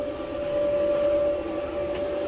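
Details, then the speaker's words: Kenmore dryer after new control board fitted and full teardown and cleaning, heating element glowing: steady even drum rumble with constant motor hum, no knocks or scraping; running normally. "i do feel warm here so let's just make sure back here yep you could see the heating element back there getting red sort of so far so good it's working and not"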